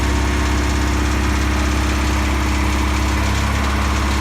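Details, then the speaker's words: 1984 Pontiac Fiero Indy restoration project car at idle: loud steady idle with a faint, uneven light rattle over the low pulse. Something sounds loose but the cause is unknown; otherwise it runs alright. "Starts and runs still. It's got a little bit of a rattle. Other than that, it runs alright."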